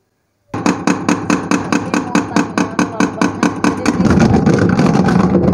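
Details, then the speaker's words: Arashi mini washing machine, spin dryer after 3 months of use: the basket is overloaded, giving rapid heavy "tek tek" knocking, about two per second, then a rough roar. It is off-balance, and the basket then got thrown about. "Suaranya berisik itu karena muatan yang daripada keranjang kalian itu terlalu penuh guys jadi dia terlalu berat makanya bunyinya jadi tek tek tek gitu"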